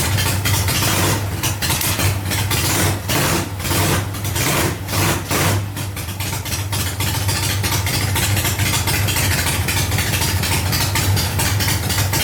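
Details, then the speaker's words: 1985 Harley Ironhead Sportster rescue, running again after ignition and wiring checks: a loping, uneven V-twin idle that holds steady without stalling. "yeah he runs man that's a good feeling to hear that noise"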